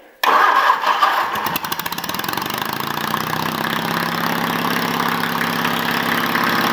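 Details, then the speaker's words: Case 222 started, temporary open exhaust: fires on first crank and settles into loud, even idle; running fine, normal start. "It's officially running. I don't want to run it too long. I don't want the neighbors calling the cops on me or wake my kids up."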